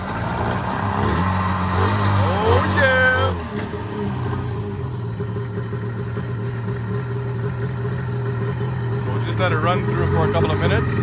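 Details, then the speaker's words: Sea-Doo XP jet ski, Rotax 657, first start after 15 years unused, started with petrol sprayed into carburetors: uneven lumpy idle, stumbles and won't rev out fully; suspected carburetor/fuel supply problem, fuel system to be cleaned. "foreign it's not running the cleanest but I guess we'll just have to clean the fuel system instead of plugs the conclusion of today is we got a running uh now we've got some issues with the carburetors that it doesn't like to rev out fully"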